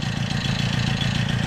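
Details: Peugeot 103 moped with a newly fitted Airsal 65cc T3 two-stroke engine on its first start, throttle worked by a bare cable: quick, even putter at idle with steady firing and no knocks or stumbles; the engine idles healthily.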